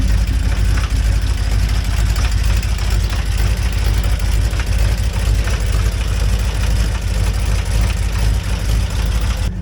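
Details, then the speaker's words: 2007 Jeep Wrangler JK Unlimited Rubicon, first start after a year unused: deep idle with an uneven, non-rhythmic knock about twice a second. It seems loudest at the front cylinder on one side; possibly rod knock, unconfirmed. "I don't know if that's rod knock or what it is. It's not very rhythmic, but"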